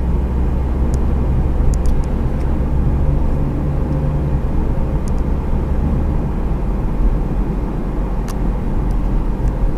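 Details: Wheel bearing noise: a constant low droning hum under the road noise while cruising, typical of a worn wheel bearing.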